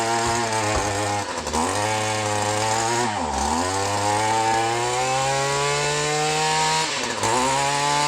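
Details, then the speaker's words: Echo SRM 210 two-stroke line trimmer after carburetor replacement and clearing an air bubble from the carburetor: clean buzz rising and falling smoothly through throttle blips, no bogging or sputter; runs like new. "guys she runs like new just had to get an air bubble out of that uh out of that carburetor but you hear that she runs like a dream"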